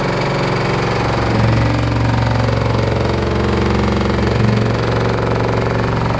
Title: LG F14A8RD loud noise